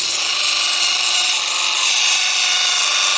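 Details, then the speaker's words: Stone polished on a Velcro pad at 50 grit to remove saw cut marks: steady high-pitched whine over the grinding hiss; a high spot on the rock hits the pad first and is scratching the stone. "That whine is no good. That whine means you're just scratching the shit out of your rock."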